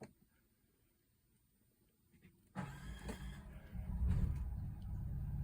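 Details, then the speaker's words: 2023 Coachmen Nova's Cummins Onan generator, started while camping on shore power after the recall fuel-line hose fix for vapor-lock stalling, to run the A/C. Near silence, a brief crank, then a steady low rumble; a normal start as the inverter switches over. "and it started cut our inverter going to eventually switch over to uh generator power which it's doing right now"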